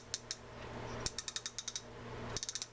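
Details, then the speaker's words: Zebco XR11 Classic reel: a metal tab runs against the indentations in the click lever as the spool turns backwards, giving crisp rapid metallic clicks in bursts of about six to eight per second; ratchet working normally. "there's a little metal tab here that will run against the indentations in the click lever here and cause a click when that is going backwards."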